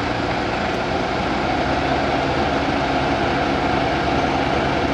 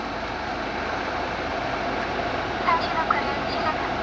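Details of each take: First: BMW, started hot with the A/C on auto and the blower turned to maximum, heard inside the cabin: loud air rush with a dull, muffled drone and weakened airflow, caused by debris inside the blower fan throwing it off balance. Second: BMW after blower fan replacement, blower at maximum setting: steady, even air rush with no droning resonance hum; the old fan's imbalance caused the resonance and lowered fan speed.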